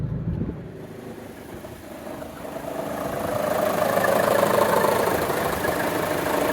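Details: 2014 Chevrolet Cruze 1.4T, 71k miles, no DTCs, intact vacuum diaphragm and check valve: heavy shimmy shake at idle when the AC loads the engine, slightly uneven idle pulse as a mid-pitched hum swells; rough idle under AC load.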